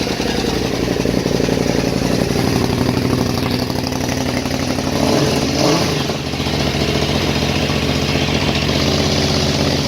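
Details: KTM 950 Super Enduro LC8 V-twin, first start after carb rebuild, re-jetting, flexjets, new throttle position sensor and ACV jets changed to cure lean popping, DB killer in Yoshimura pipe; even burble, one smooth throttle blip, no popping or misses. Normal running.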